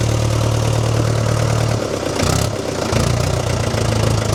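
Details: Old positive-earth, dynamo-fed tractor diesel standing about 5 months, jump-connected to crank faster: heavy slow clatter dips briefly then picks back up to an even steady beat; normal start and idle.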